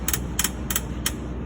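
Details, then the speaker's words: Cessna main gear axle loose where it attaches to the strut through one bolt, rubbing and popping: sharp dry pops about every third of a second over a low rumble; sounded like it came from the cockpit. "okay well it is definitely the axle where it attaches to the strut through that one bolt there so you can hear so you can actually see where it's been rubbing and popping there and there"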